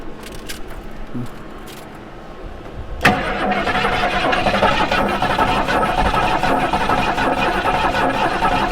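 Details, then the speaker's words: 1973 Mustang Mach 1, sitting about 15+ years with suspected bad old fuel: steady starter churning about 3.5 turns a second while fuel is squirted in, never catching; no-start from lack of spark. "So we'll just crank on it for a minute and see if we think it will fire off."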